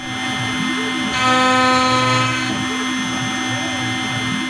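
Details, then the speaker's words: OpenBuilds MiniMill CNC router, early aluminum cut: loud router whine with a harsh, wavering high ringing; chatter from the flexible machine. "And it's kind of able to get through it. It doesn't sound great."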